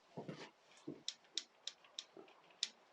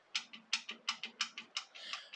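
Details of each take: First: Yamaha FZR 600 Genesis, starter-side casing off while chasing a suspected timing chain rattle, crank turned by hand: irregular light metallic clicks about three a second from electric start drive teeth meshing; nothing worn, normal. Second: Yamaha FZR 600, engine turned by hand at crank after timing chain tensioner adjustment: sharp metallic ticks about three a second with softer trailing click, seeming to come from a side casing; suspected source of running rattle.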